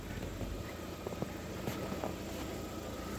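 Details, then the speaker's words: Lada Vesta at about 30,000 km, now warmed up; the hydraulic lifter tick that shows up while warming to about 60°C is gone, leaving a steady low hum at normal warm idle with no ticking. "сейчас пока собирались она прогрелась и его звук уже пропал даже не пришлось никуда ехать"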